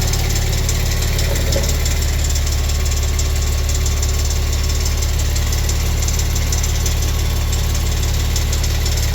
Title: Ticking sound under right side turbo 2014 Maserati Quattroporte SQ4